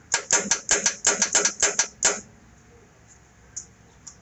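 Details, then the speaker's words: Hydraulic-block solenoid valve on a baler energized during troubleshooting. Crisp rapid clicks, about ten in two seconds, then quiet, with no sparking; the valve snaps cleanly each cycle, normal. "but that valve is hitting like it should"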